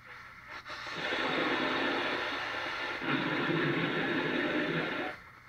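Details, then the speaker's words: 1939 GE marble-cased tube radio receiver powered up on a current-limited isolation transformer, at full volume giving flat, fuzzy, crackling, heavily distorted output with no clear program; owner wonders if the antenna is overloading the receiver. "ack. It's making some noise, but very distorted. Can you hear that? Let's see here. It's very distorted. It is trying to receive."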